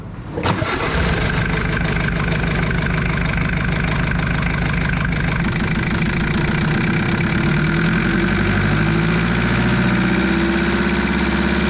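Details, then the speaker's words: Jeep XJ 2.5 turbo diesel with newly fitted mechanical injection pump, 11mm plunger upgrade from 10mm: clatters into life and settles at a fast, steady high idle after pump indexing; fuel screw needs winding back. "with the fuel screw now, and you'll hear that it's idling a bit high. Now I think I've indexed it properly, so I need to wind back the fuel screw."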